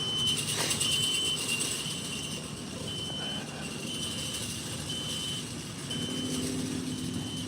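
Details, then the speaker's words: Gate operator closing the gate with its 3-second start delay turned off: steady motor hum under a repeating high chirp about four times a second; operator and unpluggable warning beeper working normally. "We're going to hear the annoying beep. And the nice thing is, if you don't want to hear the annoying beep, you just unplug this."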